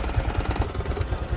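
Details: Honda Future 125 at 34,000 km, in for cylinder head and clutch work: hollow, even knocking about nine times a second over the idle, engine hot. Piston slap.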